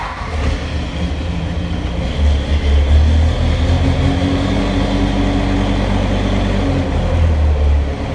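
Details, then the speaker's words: Backhoe diesel after fan belt replacement: steady low rumble holding even speed with no belt squeal or slipping; normal running. "and now also when i shut it off there shouldn't be that squealing of the fan slipping through the belt"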